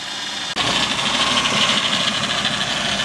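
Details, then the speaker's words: 2001 Ford Escape bought as parts car, idling after start: uneven, loping idle with hissing, whiny top layer. Rough idle. "ah runs kind of rough but it runs okay that's really all i needed"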